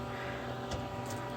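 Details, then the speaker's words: Solectria BC3000 battery charger (S/N 094) after repair, load transferred from a ~180 V supply fully onto the charger, probably drawing about three amps: steady low hum with faint high whine, unbroken; normal operation. "as I turn this down we're gonna start transferring load over to the charger you can actually hear it doing its thing so we're now fully on the charger"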